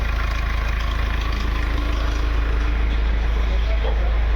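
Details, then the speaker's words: Mahindra Scorpio S9 BS-6 diesel after fixing a crank-no-start (DTC P065100, P246300), recorded from outside at idle; heavy loud chug, about three pulses a second; mechanic suspects timing chain noise; DPF soot mass high. "Customer से मैंने बात किया और आवाज आ रहा है बाहर का टाइमिंग चैन का और डीपी सूट मास हाई है।"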